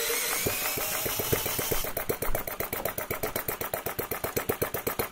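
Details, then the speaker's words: Enginediy Retrol model four-stroke petrol engine with an overly simple carburetor and unpressurized fuel: sharp regular pops, roughly eight a second, chugging heavily, smoky and struggling to breathe; running far too rich, needs more air and a dialed-in mixture. "And the poor thing is struggling because it's running so rich. It's kicking out all this smoke and fumes and oil because it's desperately trying to breathe and it's not breathing."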